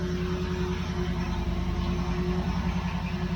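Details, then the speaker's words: 1973 Dodge LA 318 V8 on an engine run stand, first start after sitting about 10 years, running on an electric fuel pump with good oil pressure; deep, smooth rumble, steady with no knocks, ticks or misses, a normal idle. "give her a give her a go foreign [Applause] sounds great the fuel pump on oh okay oh yeah yep"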